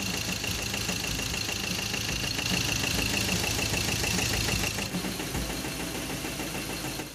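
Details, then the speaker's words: Ford Ranger T6 diesel after supply pump and injector service: harsh, uneven, stumbling idle with loud clattering knocks about three a second and very thick exhaust smoke; others suggested overhaul, but injectors are suspected still faulty. Rough diesel idle with knocking. "Seperti yang kita lihat, asap sangat tebal dan suara mesin kasar dan juga pincang. Seakan-akan terjadi benturan pada mekanisme engine-nya."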